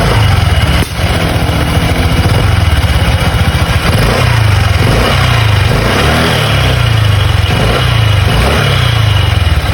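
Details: Honda Click 125 Version 3 scooter, owned about a week, stopped at idle: loud idle with a rattly, uneven chatter from the CVT side, heard only when stopped, not while riding. Cause unconfirmed; to be checked under warranty.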